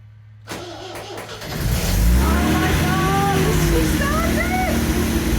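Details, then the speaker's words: MGB GT stood untouched about 12 months in storage, coated in oil: clicky starter cranks briefly, then fires on choke and settles into a steady, even cold idle with no knocks or misses; running well after hibernation. "get this oil off she's running well missy she is i can't believe it"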